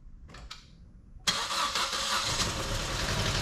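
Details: 2011 Chevrolet Cruze LTZ 1.4 turbo before an engine swap, partly disassembled, some oil smoke; engine catches and settles into a slightly uneven idle with a tappy, rattly top end over the hiss; worn engine running, cause not confirmed.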